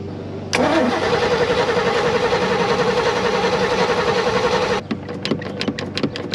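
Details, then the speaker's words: 1991 Malibu Competition ski boat, brand-new built 350ci Chevy V8, first start on the water after long dry storage; catches and runs about four seconds with an uneven loping beat then cuts out; owner says it runs rich, carb idle needs adjusting. "there we go see if she'll idle I need to I need to adjust your idle it sounds like give me one second"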